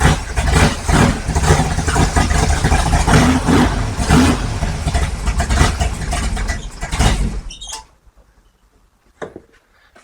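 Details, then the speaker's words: 55 Chevy big-block V8 first start, about 65–70 psi oil pressure: runs lumpy and uneven for several seconds, won't settle into steady idle, then dies. "okay well doesn't really want to idle so we'll Crank that"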